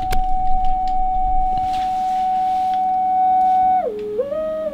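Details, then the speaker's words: Drake TR7 receiver running normally after the VCO problem was fixed; clean steady tone on frequency, then gliding down and settling as it is retuned. "the receiver is okay I have it running maybe you can hear it"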